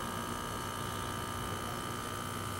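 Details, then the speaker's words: Mini air-conditioner condensate pump. The whirring hum is even and steady with no knocks. "realmente el ruido disminuyó bastante pero de todas maneras la bombita sigue siendo ruidosa"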